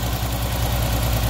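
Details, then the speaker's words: 1979 Opel Monza series 1 barn find, started after sitting a couple of days: lumpy, uneven idle thumping with slow throttle response and a bad misfire, cause unknown. "we've just tracked her out and started her it's misfiring badly so something's causing to misfire which we're gonna have to try gets a bottom of it"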